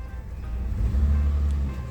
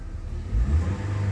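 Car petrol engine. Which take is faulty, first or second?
first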